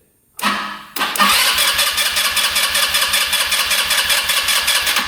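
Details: Non-running scooter sat a couple of years, spark plug in, cranked to check the fuel pump: quick starter whir, pause, then it catches into a steady, slightly lumpy idle; pump confirmed working.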